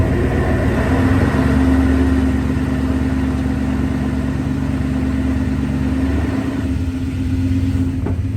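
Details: 2002 Toyota Tundra 2WD V8 at idle: loud low rumble with a rough grating drone and steady hum, easing near the end; grinding occurs only in park or first gear, cause unknown.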